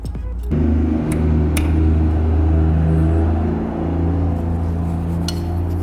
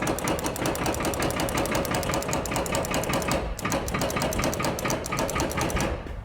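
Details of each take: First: 1953 Peterbilt Iron Nose with a mechanical-injection Cummins 220, first start with boost after sitting about 40 years: deep, steady diesel rumble, even and smooth, no odd knocks; the pump is likened to a VE pump; normal running. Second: Cummins 220 diesel in a 1953 Peterbilt, first start attempt with boost, running on only one battery: fast, steady metallic chattering with no cranking; the starter is not engaging, cause unconfirmed.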